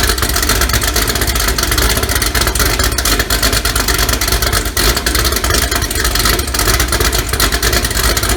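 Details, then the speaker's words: 2018 Gen 6 Hot Wheels Camaro, LME 416 stroker pushrod V8, D-1X ProCharger, Holley port injection, ported heads, big blower cam, fresh motor first start, still needs tuning: loud choppy rhythmic loping idle; normal big-cam idle. "it sounds great choppy idle you know it's got a big ham in it sounds like a 60s muscle car really really nice"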